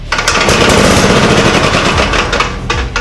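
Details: Gravely Super Convertible two-wheel tractor, believed 1960s, picked up for free, start attempt: loud, rapid chugging from its single-cylinder engine as it fires and runs on its own; throttle works, oil pressure okay.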